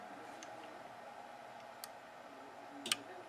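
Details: SOLA SDN 5-24-100P 115/230 V to 24 V DC switching power supply, dead with no output: only single relay clicks as power is applied and removed; fuse and standby supply good, run supply possibly dead, bad bootstrap capacitor.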